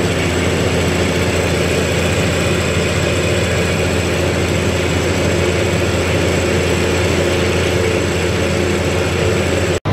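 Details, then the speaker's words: Massey Ferguson 40 combine harvester, about 1996, diesel, run after sitting 3 years: steady even low rumble at constant speed, no misses or knocks; running nicely on its diesel tank, some smoke expected to clear. "so she's running nice you know running off it's on diesel tank"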